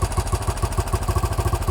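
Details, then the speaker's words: 1968 BSA Starfire single with starting trouble: engine won't hold idle on its own, throttle held by hand to stop stalling while the carburettor idle screw is turned up; even thumping about eight times a second just off idle. "Right, what I'm going to do now is, can you just hold the throttle so it doesn't stall? What I'm going to do is turn one of those screws up, which will give us an idle."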